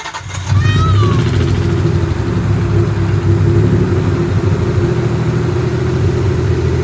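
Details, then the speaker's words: Nissan 300ZX (Z32) after injector work, coolant bypass and engine dress-up, first start after reassembly, cold: cranks and catches fast, settles to steady smooth idle slightly high until warm, no stumble; misfire appears gone, low on fuel. "It's idling pretty much like it normally does. A little bit high, but it needs to warm up and then it'll come back down."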